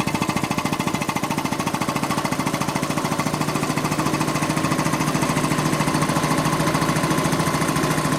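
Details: Quincy 325 air compressor on its final test run after a rebuild (cylinder head cleaned, valves rebuilt, hardened unloader seals replaced): even, steady pumping thumps at about 3.5 per second with no knocks or rattles. Normal, smooth running.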